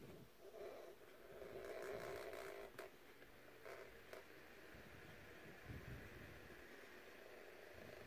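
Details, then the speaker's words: Vintage Dynasty Classics 7" oscillating two-speed desk fan, on high with oscillation engaged after a cleaning: quiet hum with a soft, uneven scraping rasp repeating a few times a second, something rubbing. "not sure what that noise is something's rubbing and high there we go spin down from high"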